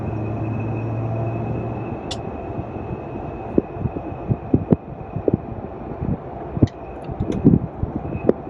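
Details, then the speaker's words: Brand-new 2021 Ram 1500 TRX cruising on the road: a thin, steady high whistle over road rumble from the passenger-side A-pillar. "i just took it down the road and um i drove it just a little ways and the the wind noise sounds like a whistling noise"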